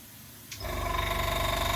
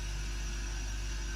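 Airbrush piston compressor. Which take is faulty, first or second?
first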